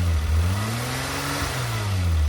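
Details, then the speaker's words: Renault Alpine GTA Turbo, mid-engine, revived after years in a storage locker, revving smoothly with an even drone and no stumble; it vibrated a lot before. Misfire under boost and load not yet ruled out. "See if it revs any better now. Oh, that sounds way better. Before it was vibrating a lot, now it's not."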